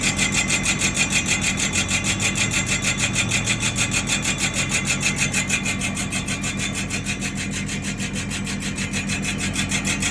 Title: #Grinding noise drum Nissan patrol#